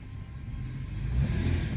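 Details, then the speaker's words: 2014 Toyota Sienna after tightening the loose top engine torque mount; low, smooth engine pull pulling away in drive, braking and reversing with no clunk or knock: normal drivetrain engagement. "Set on drive. No clanking. Acceleration. No clumping. Brake. No clanking. Reverse. No clanking."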